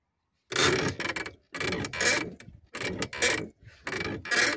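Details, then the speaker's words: Ola electric scooter: four dry, scratchy creaks with a thin high squeak as the rear suspension is pressed; spraying lubricant on the rear suspension points reduces the noise. "ನಿಮ್ಮ ವೆಹಿಕಲ್ನಲ್ಲಿ ಗಾಡಿ running ನಲ್ಲಿ ಏನಾದ್ರೂ ಶಬ್ದ ಬರ್ತಾ ಇದ್ರೆ ಹಿಂದಗಡೆ suspension ಇಂದ ನಾ ಹೇಳೋ ಈ ಒಂದು ಟ್ರಿಕ್ ನ ಯೂಸ್ ಮಾಡಿ ಸ್ವಲ್ಪ ನಾಯ್ಸ್ ಕಮ್ಮಿ"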